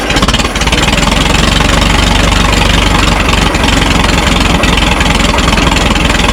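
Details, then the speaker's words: Minneapolis Moline Z tractor after rewiring, choke pushed in: slow, lumpy chugging close to stalling, laboring; idle speed too low, owner suspects the carburetor low idle set screw and adjusts it next. "All right. It seems like it has a like a really slow idle."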